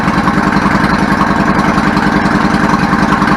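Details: 1999 Yamaha V-Star 650 Classic carbureted twin after cleaning carb with clogged pilot/idle jets and partly blocked main jet from ethanol gas, choke on, idle adjuster guessed; even, steady idle thump about 3.5 pulses a second, no misses or hunting; idles normally.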